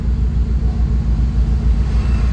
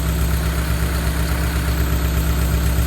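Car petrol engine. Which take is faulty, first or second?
second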